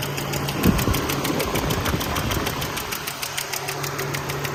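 A light, steady tick, about three a second, rides over a low engine hum at idle. Cause suspected, not confirmed.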